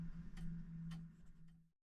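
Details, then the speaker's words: Repaired fusee clock movement back in its case after days of testing: soft, steady, even ticks over a faint low hum, fading out. It is running well but slightly slow, so the pendulum needs adjusting. "as you can hear and see um the clock dance clock is uh running perfectly it's running a little bit slow so I have to adjust the pendulum"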